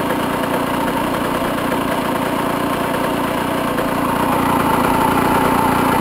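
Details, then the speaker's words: 1996 Honda CR125 two-stroke dirt bike after a fall, throttle cable due for replacement: lumpy putter wandering in speed, won't hold idle; rough idle, cause unknown. "But the idle? Watch, try it. It doesn't idle. It shuts off?"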